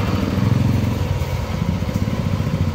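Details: Yamaha NMAX version 2 scooter after swapping in an ignition coil from an NMAX version 1 to fix unstable idle and stalling with check engine light: even putter about four pulses a second, no stumbles; steady healthy idle.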